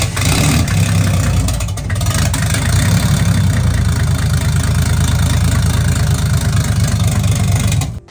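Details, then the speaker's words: Toyota 1JZ-GTE VVTi in a Foxbody with a Pulsar G30 660 T51R turbo, first start, cold: loud rough idle with a heavy low knock through the exhaust; owner suspects piston slap when cold, not confirmed. "oh dude you hear the [ __ ] piston slap when it's cold it knocks so bad when it's cold which is kind of a weird thing"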